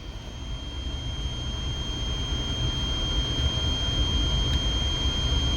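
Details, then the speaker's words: Ender 3 Pro with ChowThink ball screw, Z gantry climbing: steady motor hum with thin even whine and soft low rumble; smooth and quiet, no binding or audible ball bearing noise. "It's not loud either. You can't hear the ball bearings in the ball screw doing what they do. It's running smooth, man."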